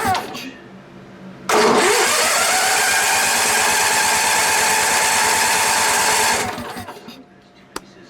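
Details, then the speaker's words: Onan BF 16hp engine with DD11 carburetor and carb-mounted pulse fuel pump: long steady cranking that never catches, just starting at the very end, then spins down; not enough fuel, fuel delivery issue, pump suspected. "see at the very end it was just starting to but see that's not nearly enough fuel so I know it's a fuel delivery issue and it's probably the pump"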